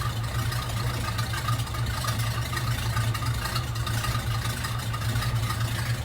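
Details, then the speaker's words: Hearse just after break-in 50-mile oil change, idling: steady low idle with a faint constant whirring hum, a strange sound; owner suspects the power steering pump; no leaks seen, oil pressure possibly a bit high at idle. "I don't see any leaking, but it is making kind of a strange sound, but it might be just my power steering that's making that sound."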